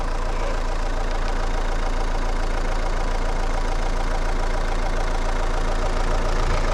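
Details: Renault Megane 2 1.9 dCi after repair of a no-start (rail pressure only 2–4 bar; broken-shaft high-pressure pump, timing belt, tensioner replaced): starts easily, no smoke, steady even idle clatter with no misses or knocks; normal diesel idle.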